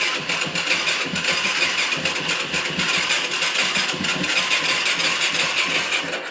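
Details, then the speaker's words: 2004 Yamaha YFZ450 that wouldn't restart after an hour's ride and a stop, tried on choke: uneven sputtering pops that fire a few beats then die away, with the headlights flickering; it is getting gas but the cause is unknown. "I'll pull the choke just to try but it kind of starts to fire up you can see the headlights kind of flicker on but it never quite fires"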